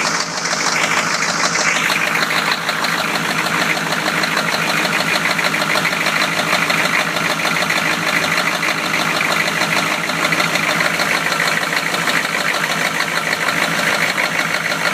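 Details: 1993 Chevy idling: steady deep knock, roughly three per second, over the idle, sounding like a worn rod bearing; rod knock.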